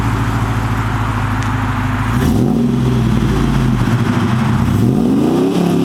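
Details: 2008 Chevrolet Silverado 6.0L L76 V8 with American Racing headers, high-flow catted Y-pipe and Borla XR-1 muffler, revved in place: deep smooth idle climbing cleanly through two quick revs and settling back evenly, no knocks or misses; normal.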